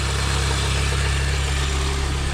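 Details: Mini Cooper R50 idling just after a full oil service, with a couple of minutes left for the oil to settle before starting: smooth, even low idle with a steady beat and no knocks, ticks or misses; running normally while checked for leaks.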